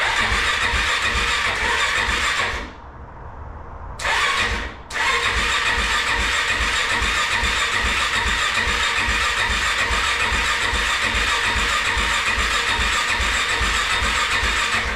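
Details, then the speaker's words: Kawasaki KFX400 single after crankcase replacement, engine reinstalled and a bad electrical connection fixed, cranked without fuel tank to circulate oil and check spark: steady, even starter churning in two runs with a pause, no firing; good spark found. "So let's fire this thing over a little bit, get some oil through the engine, see if we got spark."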